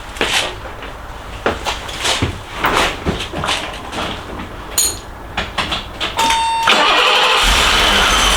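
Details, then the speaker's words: BMW E24 at idle after starting: steady high whine over the idle from the whining power steering pump, which is then removed; engine mounts also destroyed. "Jeśli słyszeliście To właśnie pompa wspomagania."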